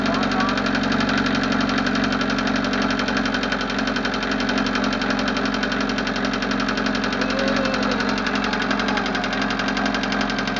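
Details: Westerbeke Four 60 15 HP diesel on a 33 ft Pearson sailboat, ambient about 75°F, hard starting: steady run with fast light tapping about four per second in time with the engine; source undetermined.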